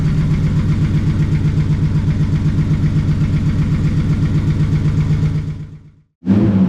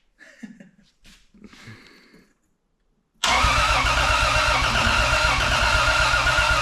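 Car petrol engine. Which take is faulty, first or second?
second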